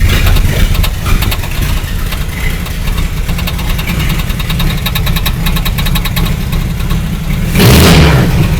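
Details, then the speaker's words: 1954 Willys Jeep truck after valve-train work for suspected sticking valves and reconnecting a missed distributor wire: engine catches and settles into a steady, smooth low idle, then a quick rev; runs clean. "victory dance are we sound better now it does sound better that sounds really [Music] good wow that thing's idling really smooth and everything"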